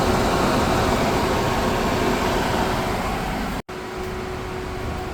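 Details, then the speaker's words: Suzuki Katana at idle, engine at optimal temperature with thermostat refitted, AC off; steady whoosh and faint hum as the extra AC condenser fan windmills from the new electric radiator fan's airflow; normal. "ini nyala ya ini suara electric fan ini exstraavan AC mati sebenarnya Tapi karena dari sedotan elektrik dari dia ikut muter"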